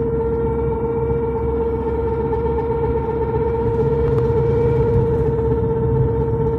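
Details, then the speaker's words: Honda RD1 under acceleration, just after replacing the clutch disc, pressure plate and release bearing: a steady mid-pitched howl over the engine drone. Owner suspects the driveshaft center support bearing or the flywheel pilot bearing; location uncertain, middle or front. "вот слышите какой звук идёт Да вот только поменял сцепление вот вроде как и посередине кузова значит это подшипник наверное подвесной кардана"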